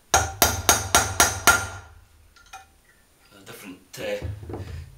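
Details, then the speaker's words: Honda CB500S front wheel bearing being hammered in: six sharp, evenly spaced blows with a solid ringing note and no hollow rattle, sound changing once the bearing is fully home in its seat; dust seal refitted next. "and you can hear that it's a different sound so that's fully home"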